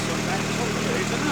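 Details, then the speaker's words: VW Caddy on first start after new water pump, cam belt, fan belt, thermostat and pulley bolts: starts first turn of the key and idles with a low, steady, even hum with no misses, ticks or knocks; throttle may need adjusting. "Well, there we go. First turn of the key and it's running, ticking over really nicely."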